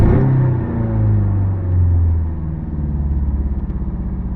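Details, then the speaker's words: 1985 Toyota MR2 after start-up: sluggish acceleration when floored, then a very high, lumpy, uneven idle; sputtering, sneezing on first throttle that smooths toward higher RPM; suspected single-cylinder misfire. "it does return to a very high idle and you can hear when I just first hit the throttle it kind of sounds like it's uh kind of sputtering sneezing I don't know kind of thing and that kind of Smooths out a little bit toward higher RPM"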